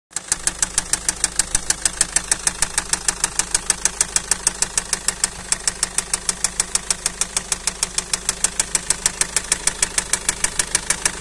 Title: فيديو صامت فيه مشكلة صوت خبطة, طقة, تخبيط ,طقطقة, فى محرك السيارة